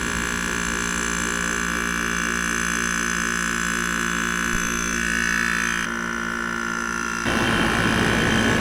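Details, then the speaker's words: GE 5000 BTU window air conditioner heard from outside by the compressor side, lots of heat from the back; steady low hum with constant higher tone over fan rush, no knocks or rattles; normal compressor running. "Man, that just sounds so. This is the best sounding modern AC, man."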